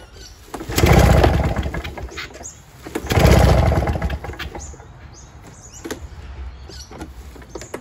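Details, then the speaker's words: Curbside Victa Commando two-stroke lawnmower, fresh 25:1 fuel, primed, after a tune-up: takes a few pulls, catches and revs twice, then drops to a lower, somewhat uneven idle; running after a hard start. "there he goes folks he take a few pulls to get it started but we've got a running figure straight off the street"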